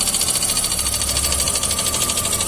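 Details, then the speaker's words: VW Gol G6, lacking power; noise persists after new spark plugs. Idle and light throttle: fast, regular light tapping from the top of the engine. Suspected broken rocker arm or lifter; unconfirmed. "aí ó tá batendo em cima deve ter quebrado algum balancinho ou tucho aí nós vai desmontar e vamos ver o barulho"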